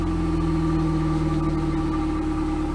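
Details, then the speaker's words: 1998 Pontiac Sunfire idling after replacing the old muffler with a new OEM one, checking for leaks; smooth, even idle with a low steady hum, no blowing or ticking, much quieter than before. "sounds way better we're testing to see if there's leaks anywhere"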